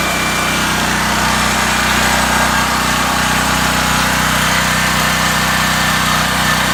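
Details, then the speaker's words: New Powerhorse 4000 generator on its first run, no load: a steady, even engine drone with no misses, knocks or surging; it is running smoothly and normally. "it seems like a pretty solid unit we'll put it to the test this weekend"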